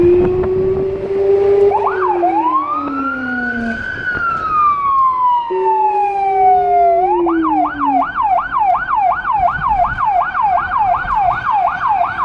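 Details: Small emergency car in Budapest with a Federal Signal Rumbler (180–360 Hz) beside the high-pitch siren, recorded from inside, where it sounds softer. A wail sweeps up and down, then a fast yelp cycles about three times a second: siren working normally.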